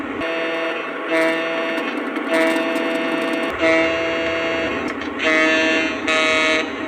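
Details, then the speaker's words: New 2025 Lionel FM TrainMaster diesel after the speaker rattle was fixed, shell still off; horn blasts and engine sounds ring clean and steady with no buzz or vibration; normal. "I don't hear any vibrating and there's none when I blow the horn. That's great. That is music to my ears. That's how it's supposed to sound."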